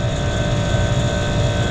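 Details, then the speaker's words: York packaged rooftop unit on R-410A with two circuits, in cool mode after the contactor pulled in and the evaporator fan started: the compressor starts and runs with a steady, even hum and constant tone, no knocks or rattles. "right guys she's running"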